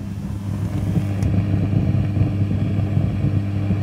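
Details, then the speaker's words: Fender Pro Reverb guitar amp (possibly a reissue) on the bench, no playing: constant low hum with an uneven rumble churning underneath; crackling, popping, spitting fault of unknown cause. "hear that rumbling away there oh yes that's quite bad"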